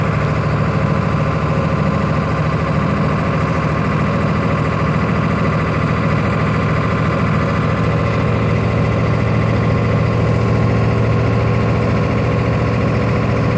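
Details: 1996 Ford F350 7.3L diesel running rough: heavy idle with a deep, lumpy clatter whose beat doesn't settle into an even rhythm.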